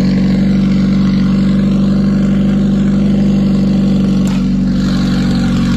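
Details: Car idling with a light, steady ticking at about four per second over an even idle. Owner believes it needs a valve adjustment (unconfirmed) and reports a gauge not working when accelerating.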